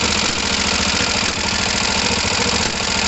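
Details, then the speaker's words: Kawasaki ER5 twin with fuel pump problems and overflowing carbs, cold idle not yet warm: lumpy idle with uneven popping pulses through the intake, carburettor spitting back. "Oh look, we've got that weird spitting back."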